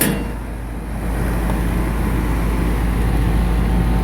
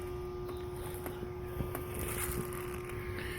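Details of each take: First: AC condensing unit after replacing 60+5 µF dual run capacitor, running in rain. Strong steady low hum with even fan whoosh, no rattle or stalling; normal running. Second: Goodman AC condensing unit, no cooling; compressor hums steadily but fails to start. Capacitor found bulged, 60+5 µF dual run capacitor; failed run capacitor.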